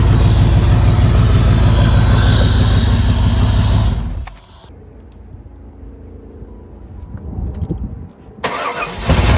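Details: 1995 Buick Roadmaster Estate Wagon V8 first start after sitting several years: strong steady low rumble for about four seconds then quieter, running evenly; normal idle (coolant then spilled from unclamped upper hose).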